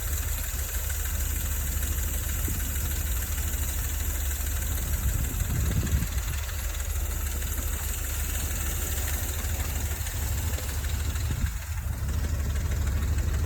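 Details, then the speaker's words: Dodge Ram V8 fully warmed up after about 20 minutes, idling on a cold day before Engine Restore is added. A light, fast chattering tick rides over the deep, steady rumble; owner suspects noisy lifters, not confirmed. "she's pretty warmed up this is going to be a pre-test before um using engine restore see if it quiets down these lifters"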